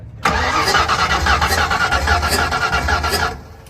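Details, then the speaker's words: Drag car engine cranked on the starter, phone at the exhaust: uneven puffing hiss from one cylinder, compression escaping past a torched exhaust valve that should be closed. "that that noise is the cylinder compression going out the exhaust valve when it should be completely closed"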